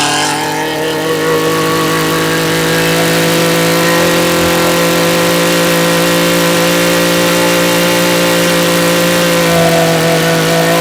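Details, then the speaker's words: Echo PE225 edger, two-stroke, after fuel line and carburetor replacement, warmed up and held at full throttle for mixture adjustment by ear: steady high buzz, no surging or bogging; running clean. "we're going to start it up bring it to Full Throttle and then adjust as needed"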